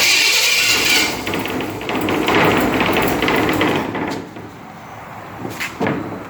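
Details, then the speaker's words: First running after new exhaust, ignition wiring not finalized: rough idle with loose uneven wooden clatter about three per second from the unbolted wooden running boards, not the engine. "yeah that noise is just a wrap the wooden running boards here rattling once they're bolted down won't be too bad"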